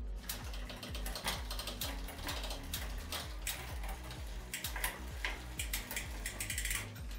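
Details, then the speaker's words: Bicycle rear derailleur after setting limit screw and tensioning the cable via the barrel adjuster; even quick freewheel ticking with clean clicks on gear changes, no grinding; shifting works normally. "semplice in questo caso già si sta vedendo che il cambio funziona"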